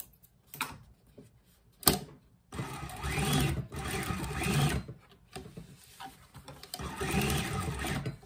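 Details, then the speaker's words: Consew servo motor 1000 on a sewing machine, sewing eight layers of 12-ounce denim: bursts of quick, even stitching with a soft motor hum; no knocking or labouring, the motor is not struggling. "see eight layers not a problem so the servo motor is like as you can see it has eight layers of 12-ounce denim and it's not struggling at all"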